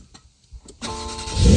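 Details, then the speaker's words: 2024 Porsche 911 Carrera T flat-six being started. A short starter whirr, then the engine fires instantly and swells into a strong, clean rev with no stumble: a normal, healthy start. "oh let's start this thing up"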